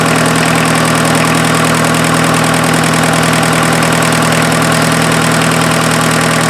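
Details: Mazda offroad truck with its freshened replacement diesel engine on first run after the timing belt was fitted (owner wondered if the belt was a tooth off): steady, even clatter at a settled idle, no misses or stumbles, no cooling-system smoke; normal diesel idle.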